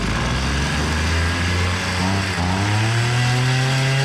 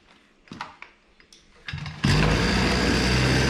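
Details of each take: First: Hyundai two-stroke brush cutter that won't take throttle and spins its head slowly: labours at low revs, climbs only partway then holds a flat drone, never reaching full rpm. Low-rpm bogging; air filter found wet with fuel. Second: Hyundai two-stroke brush cutter after repair of a bogging, low-rpm fault: a few knocks and clicks, then it catches and holds a steady high buzz at full throttle without bogging or surging.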